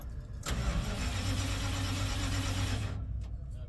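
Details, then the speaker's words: 1970 Dodge D100 with new Edelbrock 750 carburetor and resealed Holley Street Dominator intake: starter churns steadily but the engine never fires; no spark reaching the coil suspected, fuses to be checked; crank-no-start. "I tried to crank it up again and now it's not I'm not getting power to something or some it's I'm not it's not getting fire"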